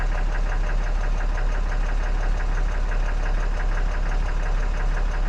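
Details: 2014 6.7 Cummins idling after a CAT 1R-0750 fuel filter install with a BMP housing, primed to about 10–11 psi fuel pressure and being checked for leaks. A steady low diesel idle with an even rattle, no misses or knocks.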